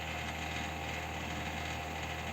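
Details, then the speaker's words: Desktop PC fan giving a steady loud drone and howl with a rough rattly edge from a dry bearing; owner reports system shutting down after about 3 minutes, CPU at 21°C, moderate dust, hard drive showing errors. "слышите Да как он воет хозяйка сказала вырубается все падает он буквально буквально вот смотрим процессор 21 градус там видели грязи но не так много"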